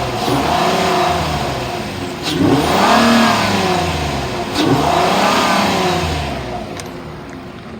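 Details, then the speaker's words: 3.5 L V6 2013 Ford Taurus Police Interceptor AWD, 95,000 miles, front-end collision damage, overheated earlier, restarted after 30 minutes cooling on a jump box; revs up cleanly twice but a steady, uneven stumbling misfire underneath, check engine light on. "the motor sounds good it does have a steady misfire the automatic transmission engages and the AC blows cold"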